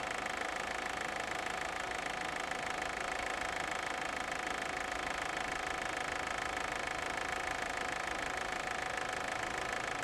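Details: 2001.5 VW Passat 1.8T automatic, 98,500 miles: fast, even ticking rattle over idle, about three per second, from a failing cam chain tensioner; chain and tensioner were replaced and the car now runs fine.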